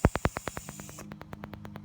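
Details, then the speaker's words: 2006 Audi A8 front parking sensor heard up close with the engine off, ignition in accessory and park assist on, while hunting the bad sensor: quick, even staticky ticks about ten a second, which show this sensor is working. "the phone picks this up much better than the human ear and makes it sound much louder than it actually is it mits a staticky Ticky noise that indicates that it is working"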